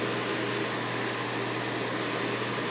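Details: Soleil space heater that was dropped, breaking a fan blade that jammed the fan, after plastic repair: steady, even whir with a low hum and no wobble or rattle; fan spins smoothly and balanced.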